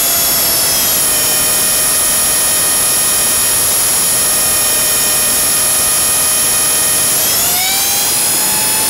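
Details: Blade 300 X showing weird twitches and loud noises in Idle Up: a loud, steady high whine holds level, then shifts upward near the end. It is an abnormal-sounding drive noise.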